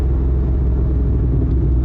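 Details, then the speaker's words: Corvette with boost restored after it had dropped from about 7–7.5 psi to roughly 5.9 psi; spark plugs inspected and reinstalled. Short, hard third-gear pull with a deep, steady roar and no misses; normal acceleration under boost. "So that's just a really short pull in third gear. You know, that's just a real quick rip."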